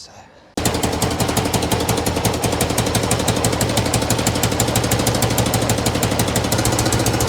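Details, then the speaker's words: Honda VF1000F V4 motorcycle being revived, first start: uneven popping beat about three a second instead of smooth V4 hum; running on two cylinders, the two rear cylinders not firing (misfire), spark plug leads being checked against the manual. "back ones are not working. Back cylinder is not working. That's running on two cylinders."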